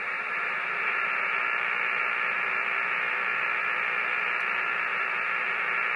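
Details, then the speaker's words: Hammarlund HQ-170-A receiver on an outside antenna during IF alignment: loud steady hiss with fast crackle on top, noise blanker off; precipitation static, greatly reduced when the blanker is switched on. "Before we get started, I just happened to notice that when I hook up to an outside antenna, we're getting some precip static, and it's pretty noisy."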